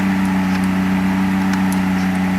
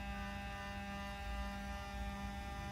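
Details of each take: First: 1994 Mercedes 600SL V12 running with the repaired throttle actuators connected but without a proper air supply. A fast, steady, even hum with no hunting; idle is high from the missing air supply, but no ASR light comes on. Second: 1994 Mercedes 600SL V12, repaired throttle bodies connected to the running car, ASR light off: steady electric hum with thin high whine and a sharp click as the throttle units run their learning cycle; normal noise for these units.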